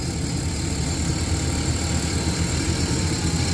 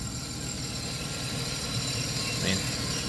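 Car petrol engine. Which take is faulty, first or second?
first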